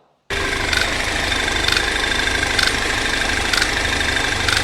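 Sharp metallic ticks about once a second over a steady idle, bright and distinct; typical high-pressure fuel pump noise.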